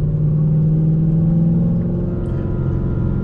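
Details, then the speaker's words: 2013 Chevrolet Camaro 1LE V8 with new stage 3 clutch and short throw shifter, driving at low speed; a steady low whine over the deep rumble from a failing AC compressor due for replacement. "I don't know if y'all can hear that whining noise. That's my AC compressor. That is something else that I'm gonna have to change very soon here."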